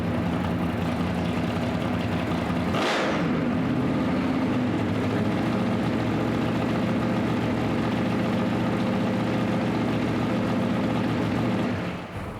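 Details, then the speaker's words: Drag Week 2024 V8: a lumpy big-cam idle settles into a steadier, smoother beat. Cylinder exhaust temps are still uneven (8 reading 670, still cold), and the throttle is hanging open and likely needs more return spring. "it sounds happier uh I think it needs more spring cuz it's hanging open now it's idling a lot smoother"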